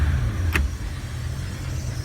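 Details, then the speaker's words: 2005 Bayliner 219SD sterndrive engine at slightly raised throttle, warmed and temperature normal: steady deep even exhaust rumble without stumbles or misses, engine running well. "the engine runs very well. It's a good engine."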